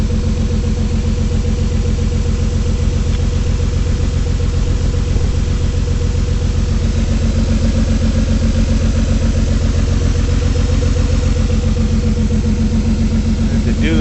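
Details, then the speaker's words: 2003 Ford Escape at idle: regular stumble about four a second through a low rumble, still shaking after swapping coils. The misfire followed the coil, confirming a bad ignition coil; the check engine light had been flashing. "It's still shaking. So, we're still misfiring. So, it's a coil."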